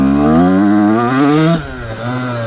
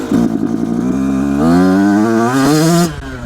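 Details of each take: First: Brand new 2026 Yamaha YZ85 two-stroke that was running rich and fouling plugs, after air screw adjustment, second gear full throttle: crisp note climbing smoothly then cutting cleanly, no longer bogging, perhaps a tiny bit left. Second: Brand-new 2026 Yamaha YZ85 two-stroke, second gear at full throttle after air screw adjustment: revs climb with an uneven burbling stutter and bogging hesitation, judged too lean; next step is richer air screw, three turns out.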